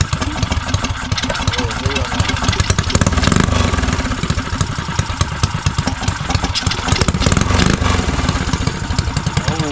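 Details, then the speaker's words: Neglected custom Motovox single-cylinder mini bike revived after old gas was cleared from the carburetor. Steady, even idle with a quick regular beat that holds without stumbling or dying, normal idle. "Let me just say idle, guys. That's it, though, gang. Let's just say idle a little bit."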